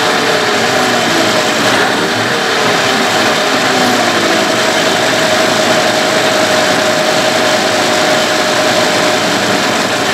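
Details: Evinrude/Johnson 15 HP two-stroke outboard running smoothly with a steady mid-pitched whine; less bad since the drive shaft was swapped but persists, cause still not found; a parts motor.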